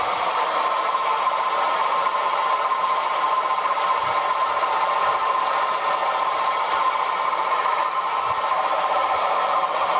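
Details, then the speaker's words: Short-stroke water pump after cleaning and repacking hand-assembled ball bearings with grease, driving a sprinkler, motor drawing 5 amps: steady, even hum, no grinding, soft water-driven valve clicking; running quiet and healthy. "Now let's test it now. See how quiet it is. Got a sprinkler on there and a turbocharge. You hear the valves being pushed by the water."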